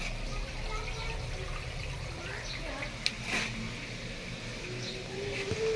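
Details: TCL automatic washing machine, about two years old, after repair of an E3 error that stopped rinse and spin: steady low hum with water rushing out evenly, no stalls or clicks; the drain pump is running normally.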